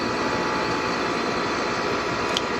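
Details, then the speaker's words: Aircon compressor running during a thermostat-control test, before cold water is applied to the sensor; compressor running continuously would indicate a faulty thermostat. Steady, even hum with constant whine on top, no knocks or rattles; normal compressor running. "Ngayon, gumagana na yung natin, aircon. Gumagana na yung compressor"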